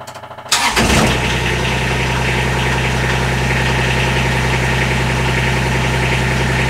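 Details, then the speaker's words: Kubota RTV 1140CPX diesel after fuel system upgrade (new filter/separator, pump, fuel line) to cure hard starting, rough startup idle and fuel starvation: brief crank, catches instantly, steady even idle; starts immediately, never did before. "that is amazingly fast it it turns over and starts immediately it has never done that"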